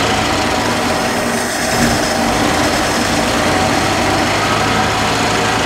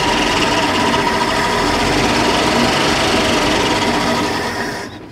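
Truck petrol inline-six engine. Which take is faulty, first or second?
first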